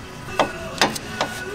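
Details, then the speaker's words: 2017 Porsche 718 Cayman at shop before track day: four sharp metallic clunks, about two and a half a second, from the rear sway bar end link not tightened all the way. "Listen to that beautiful sound. That's the sway bar end link. At the back, it's not tying all the way."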